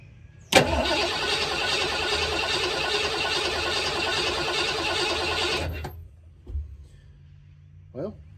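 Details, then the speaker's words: 1986 Ford Bronco with a 351 Windsor V8, sitting about 15-16 years, coolant still green so the block is hopefully not frozen. Cranked with the coil wire off: steady, even starter cranking with no dropped beats, no dead cylinders, compression even. "there we go okay signs A Life That's Good doesn't sound like there's any dead cylinders that's promising"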